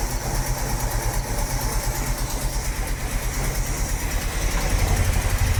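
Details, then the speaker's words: 45-year-old 2.8-litre Vauxhall Royale coupe, after carburettor swap; idle reading 1.7 against a 1.5 target: fast, busy idle with quick, slightly uneven pulses; idle screw turned too far, idle too high. "Still 1.7. Let's take it another quarter."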